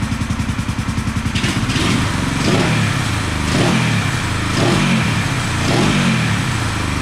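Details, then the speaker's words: 1974 Honda CB450 twin, after the ignition timing was reset, has an even idle beat and clean throttle blips, running nicely on both cylinders; there is slight left-cylinder smoke, expected to clear as it warms after sitting. "so let's see [Music] she is running nicely on both cylinders"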